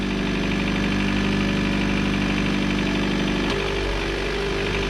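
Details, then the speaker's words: Chevrolet Cruze running an open intake, at idle: a loud, droning resonant noise from under the valve cover carried through the PCV system into the intake; the noise goes away when the PCV system is dealt with. "what's basically happening is the pvc system is making a sort of resonating noise or something's making noise under the valve cover that's going through the pvc system into the intake it's very loud"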